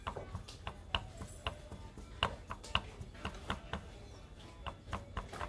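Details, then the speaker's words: Honda Supra X 125 with rough engine noise from the middle of the engine; engine stopped, connecting rod pulled and tapped by hand gives sharp metallic klek-klek clicks from excess play. Worn connecting rod, to be replaced. "kanan nah terdengar ya Ada suara klek klek klek klek tuh nah itu salah satu ciri bahwa stang pistonnya itu ya sudah kena kita ganti"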